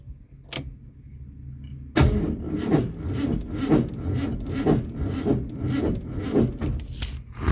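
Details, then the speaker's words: Ford Mustang project car after electronics replaced, alternator belt just refitted, start attempt: starter churns in slow uneven surges about two a second, labouring, never catching; battery shows 12.7 V, alternator pulley spins freely, cause unknown. "I've tried to fire this thing up a few times and it's having an absolute spasm."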